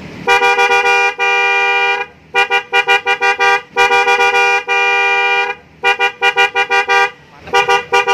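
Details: Denso snail horn fitted on a Yamaha NMAX scooter, engine started and running: loud, bright two-tone blasts in long and short bursts; horn sounds clear and strong, working properly.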